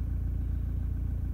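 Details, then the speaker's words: Toyota Prado 150 diesel after timing belt and front engine job, cold after sitting a few hours, recorded inside cabin with door open; low lumpy rough idle with stumble, injector diagnostics point to cylinder 3 or 2, possible bigger issue. "Yeah, it's like rough coming back to idle. Rough idle."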